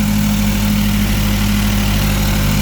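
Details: Mazdaspeed with CST5, Bayson R, Coolboost meth kit and 350z intake vent, first startup after install and ECU trouble codes cleared via Accessport: steady, even idle with low drone, no knocks, ticks or misfires; smoke is residue burning off turbo hot side, not a leak.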